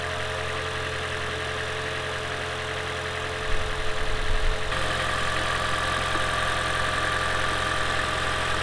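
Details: Lexus CT200h hybrid first start after adding an oil catch can and cleaning carbon from EGR and intake manifold (had cold start stutter): engine catches about 3.5 s in, settles to steady even idle, no knock or rattle; healthy.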